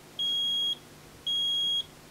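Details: Vinidex HST-S-160 electrofusion welding unit after repair, first power-up: two clean, high-pitched beeps about half a second each, evenly spaced; normal start-up signal, no error pattern.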